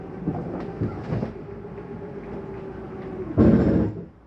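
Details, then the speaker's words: 2023 Jayco Eagle 30.5 RSOK fifth wheel, slide number three retracting: steady low motor hum as the room draws in, then a short heavy clunking burst as the slide mechanism bottoms out fully retracted; normal. "that noise is okay to hear that's just a slide mechanism telling me that it's all the way back in"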